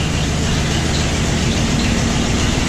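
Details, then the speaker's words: Ford Bronco V8 cold start after sitting about a year, stuttering a little on startup, then settles to an even low rumble with no misses or knocks; smooth normal idle. "runs smooth purrs like a kitten"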